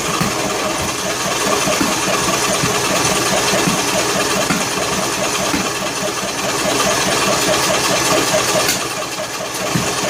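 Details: John Deere L100 lawn tractor cranking on choke with valve cover removed; uneven chugging with irregular sharp pops about four a second, backfiring through intake and exhaust; owner suspects broken flywheel keyway off-timing, or unsealed valves; unconfirmed.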